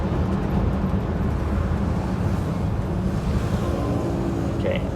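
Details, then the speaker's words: 1969 Mercury Monterey, late-60s Ford front disc brakes (pads vibrate under light braking, a design flaw): under moderate braking only steady tyre and road rumble as the car slows, no squeal or grind; brakes quiet. "braked moderately there and we were dead silent"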